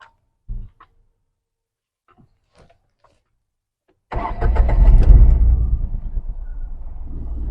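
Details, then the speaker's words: Tata Tigor with a no-pickup complaint, starting after the ECM was replaced. A quick crank, then the engine catches and settles into an even idle. It starts cleanly, with no misfire from the silencer and the pickup restored. "ఒకసారి చూద్దాం వెనక్కి వెళ్ళి, ఇందాక వచ్చిన hunting అనేది ఉందో లేదో. సైలెన్సర్లో ఇందాకున్న missing ఏం లేదు."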